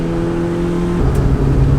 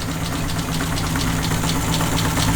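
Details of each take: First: Mazda 121 after swapping in a B6 16V SOHC 1.6 L, heard in-cabin with no sound insulation, pulling hard: strong, even note through the revs, clean pitch drop at the shift, no lifter ticking; strong top-end power; healthy engine under acceleration. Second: Mazda 121 with freshly swapped B6 1.6 L, first start after running dry: uneven, lumpy idle with a heavy low drone and irregular ticky pulses; rough running.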